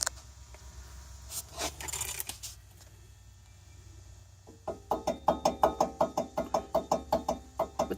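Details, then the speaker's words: Worn front wheel bearing/hub on an all-wheel-drive 1998 Oldsmobile Bravada, found after a front brake job: quick sharp knocks, about three a second, as the wheel is rocked by hand showing play. "a good bit that my friends I believe is a bad wheel bearing looks like we got to correct it here we go"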